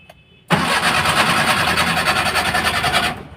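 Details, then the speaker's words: Maruti Omni, immobilizer light steady and check-engine light on: starter spins the engine steadily for about two and a half seconds with an even churning rhythm but it never catches. Cranks, no start; fault in the ignition (HT) spark plug cables. "देख सकते हैं यह गाड़ी start नहीं हो रहा करके अब सीट को हम करेंगे बाहर और देखते हैं क्या प्रॉब्लम है"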